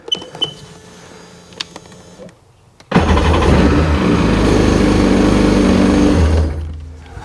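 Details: 2003 Sea-Doo RX DI being refurbished, cold test start: a few clicks, then it fires at once and settles into a smooth, even run before shutting off; normal cold start.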